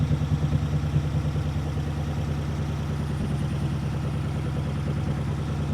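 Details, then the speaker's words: Ford Flathead V8, about 265 cu in, 4-inch stroke, four-barrel carburetor, ignition resistor, on a run stand: even, low burbling idle with a steady pulse and no ticks or knocks; smooth and healthy. "That sounds so good. I know, it just runs so smooth."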